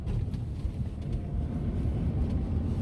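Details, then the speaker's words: 2021 Lada Granta FL, 3,500 km, windows closed, driving in low gears on a rough road: soft, steady low rumble under road and wind noise, no knocking or whine; judged normal gearbox running sound. "ну вот это какое-то легкое урчание я не знаю это голый твой это неисправность коробки обычный звук рабочий на работающий коробки"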